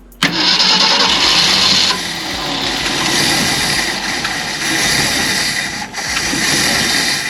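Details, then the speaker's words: 1965 Ford Galaxie 500 project car, not yet running after many setbacks: the starter churns with a rough, irregular roar as cylinders begin catching but never settle. The engine is trying to fire but is not running yet. "It's doing something. It's wanting to."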